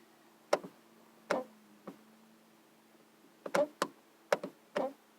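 Sharp isolated clicks come in uneven bunches, about eight in five seconds, over a faint hum; a door is clicking, cause unclear.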